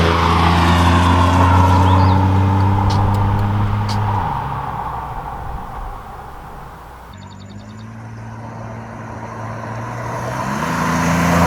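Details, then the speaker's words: 1997 Chevy Camaro RS 3.8L 3800 Series II V6 with Cherry Bomb Turbo muffler and newly added tailpipe turn-down: deep smooth exhaust note rising and falling cleanly through revs and shifts, no booming drone at cruise; interior drone gone. "it's deadly quieter on the inside that's one of the benefits to having the tailpipe finished on this car the interior noise is gone there's no noticeable to room at all"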